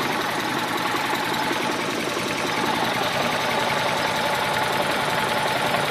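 Steady idle with an uneven, shaky pulse about three and a half beats a second; the engine is running rough, cause not pinned down.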